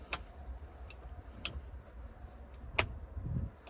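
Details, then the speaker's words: Off-road rig's onboard air compressors, each with its own 30 amp fuse and relay: sharp isolated clicks a second or more apart as the cab switch toggles, only one relay switching; the pulled relay shows plastic and corrosion, possibly overheated. "We checked, and only one of the 2 relays was clicking. We pulled the one that was clicking, and we're seeing some plastic and corrosion."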